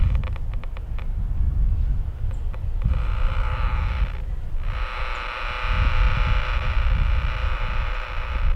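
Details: Power-line noise received on a 4-element 2 m Yagi at 148 MHz while taking a bearing on the source: a harsh raspy buzz cuts in over low rumble, briefly drops out, then returns steady; power-line arcing interference.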